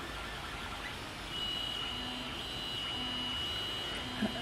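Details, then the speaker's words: AM8-frame 3D printer (Anet A8 based) with non-silent stepper drivers, bed heating to 40 °C and nozzle around 210 °C: thin steady high whine as the axes move over a quiet background; normal stepper motor noise. "you can hear there, they're not silent drivers. I don't mind it, to be honest. It's not loud, it's just whereas on the ender it's silent."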